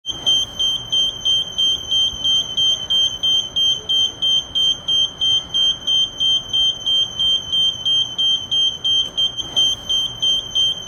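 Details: Kone lift: high, shrill beeps repeating steadily about three times a second, the warning sounded when the door control buttons are held too long.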